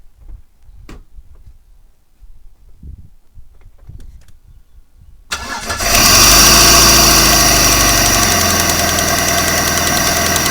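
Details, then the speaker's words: 1995 Vauxhall Cavalier MK3 X20XEV, 58,000 miles, already warm, after auxiliary belt and tensioner replacement: a light fast tick over a steady idle persists; owner suspects a timing belt pulley, then possibly a hydraulic lifter, unconfirmed. "still got that sound there that clicking sound maybe it's to do with the um the timing belt pulley attention or something like that"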